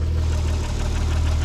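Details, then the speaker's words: Nissan 300ZX convertible idling after misfire diagnosis and injector testing: steady, deep, even rumble with no knocks or stumbles, idle pretty solid. "so far it's idle and pretty solid"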